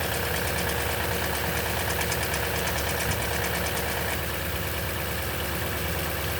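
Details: 2010 Toyota Tundra, 165k miles, 5,500-mile oil changes throughout life, cold start idle: fast fairly steady rattle about three per second over engine note, possibly timing chain; cause suspected, not confirmed.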